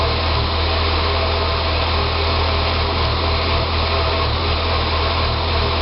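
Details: 2006 Saab 9-3 2.0T after an engine rebuild: a low, uneven, hunting idle with a wavering throb and a faint hiss; it runs great with throttle. Rough idle, possibly vacuum-related, unconfirmed.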